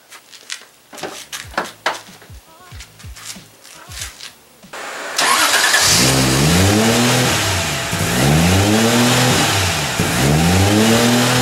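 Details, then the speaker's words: Hunting idle after putting back the removed idle-adjust part: engine catches, then revs swell and sag about every two seconds; owner thinks idle is set slightly low and trying to self-adjust, maybe an adjustment screw needs setting, unconfirmed. "all right so if you heard that ribbing I'm sure if you know what's up then go ahead and let me know it sounds like it's just a little low and trying to adjust for itself"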